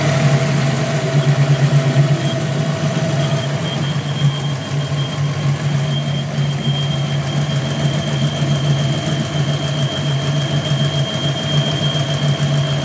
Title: Vacuum leak on my 5.0